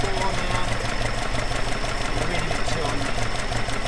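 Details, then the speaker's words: Alfa Romeo 105 GTV with twin 40 mm Dellorto DHLA carbs unbalanced: low, uneven lumpy idle around two beats a second with a shaky, wavering pulse, vibrating; synchrometer reading taken before being adjusted toward balance. "we going take one reading now the engine's quite rough vibrating quite a bit it's not synchronized"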